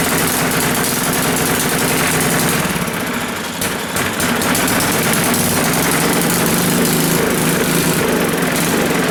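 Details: Old Coleman generator's single-cylinder engine after repair, first start with no choke and fuel turned on: steady constant fast beat with an even, unbroken note; running healthily.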